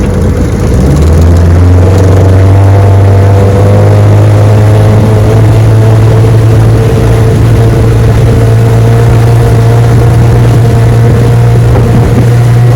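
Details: Restored 1971 Evinrude 9.5 HP 9122R outboard on lake test run: smooth, even low drone at steady throttle with no misses, knocks or surges; runs perfect, normal running.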